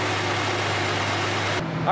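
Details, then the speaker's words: 1978 Datsun 280Z warming up right after fuel injector and fuel filter replacement, meant to cut cabin fumes and an engine ticking noise; smooth, steady low idle with an even beat, no misfire or ticking heard, normal idle. "so while the car is warming up over there it seems like it's running okay it sounds good"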